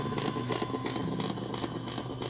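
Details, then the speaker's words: Earphones in a PC front-panel jack while a phone charges (18%) from a USB port: a steady hum with a faint whine and hissy bursts about three per second. The phone's charging circuit is regulating the current drawn, causing interference. "소리를 들어보십시오 잡음이 난다는 것은 지금 요 길에 흐르는 전류가 일정한 전류가 아니라는 것을 의미합니다"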